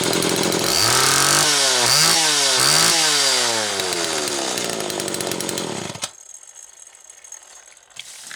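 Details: Homelite XL Automatic chainsaw after repair (fuel issue had forced full-choke running; new bar stud, oil system reprimed), cold morning, engine half warm; started in about six pulls; crisp snarl through several quick blips, clean pitch rise and fall, then drops away; high speed close enough; normal running.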